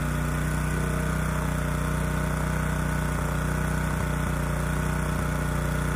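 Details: Honda EG2200X generator, early-to-mid 1990s, no load, after carburetor cleaning with low-speed mixture screw reset to 1.5 turns out: steady hum with slight uneven hitches, not running smooth; air cleaner ruled out as a restriction.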